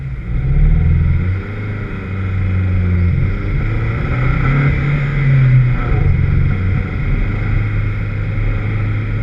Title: VX220 with Misfire at 3 Sisters Circuit